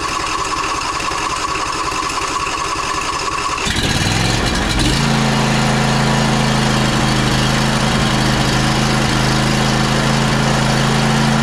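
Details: John Deere E140 riding mower after starter replacement and fuel treated with Phaser 3000: starter cranks briefly, engine catches and settles into steady, even idle with no misses or stumbles.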